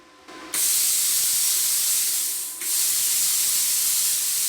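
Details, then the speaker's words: Brand-new Viv Arc plasma cutter set to 50 A with air at about 80 psi: only a steady hiss of air through the torch, with no crackle or buzz of an arc striking. No pilot arc, air flow only. "Actually not a lot, eh guys? We've got nothing coming out of it at all. It's supposed to be pilot arc."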